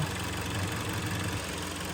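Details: 2012 Kia Sportage 3, one owner, 175,000 km, knocking began around 155,000 km with scored cylinders, just rebuilt and restarted: steady, even low idle with no knock or tick over the hum; engine sounds healthy.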